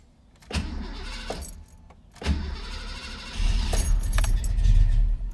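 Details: 1991 Foxbody Mustang GT after Holley Terminator X fuel injection install, fuel pump priming: two brief cranking bursts, then catches and settles into a steady, even run; normal cranking and start.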